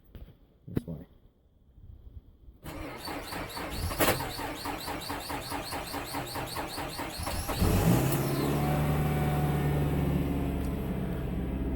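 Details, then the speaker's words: Mazda CX-7, cold start at minus nine degrees; long laboured cranking at about three to four turns a second before catching and settling; sluggish cold start, cause not confirmed. "that was minus nine degrees my cadillac can start better than that when it wants to"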